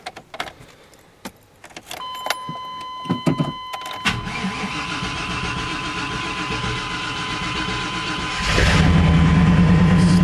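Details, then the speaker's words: 1995 Chevy Tahoe 5.7 L with a no-start condition before starter motor replacement: chime, then the starter cranks about four beats a second for several seconds with hesitation before catching; sluggish crank from a failing starter motor. "up this time okay ah as you see it had a little hesitation on the crank um on starting"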